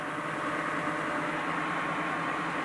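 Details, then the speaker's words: BMW EV conversion, first run of motor and gearbox on new adapter plate and threadlocked coupler, gearbox unoiled at low speed: smooth constant hum with faint whine, no vibration, play or gearbox movement; all fine. "anyway we can see no vibration no play no tendency for the gearbox to jump about on this plate here everything's 100 percent happy"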